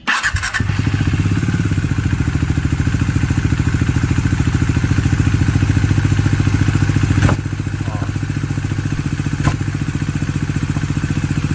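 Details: Bajaj Dominar 400 with under 1000 km, idling: steady single-cylinder idle with extra mechanical clatter on each firing beat; oil seen thrown upward; abnormal noise, source unidentified.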